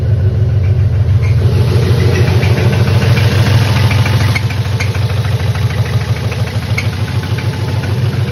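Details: BMW M52B28 engine at idle: a steady deep knock about three times a second under a low rumble, evenly spaced, suggesting a bottom-end knock. Owner suspects a spun bearing; not confirmed.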